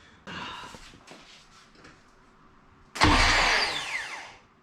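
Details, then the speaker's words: Honda Civic Si (8th gen) being boosted, first start attempt after subframe reinstall: brief rattle then a high whir spinning up and down without turning the engine; starter disengaged but kept spinning. "that's no that it was disengaged but it was still spinning that's right"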